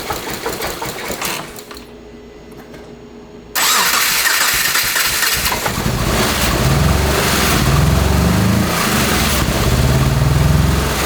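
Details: First-generation Subaru Crosstrek with hand-built swapped 2.5L engine, different injectors and connectors fitted: short crank, catches, lumpy uneven idle with irregular pulsing; rough running, warmed until unburnt fuel ignited in exhaust, owner suspects injectors.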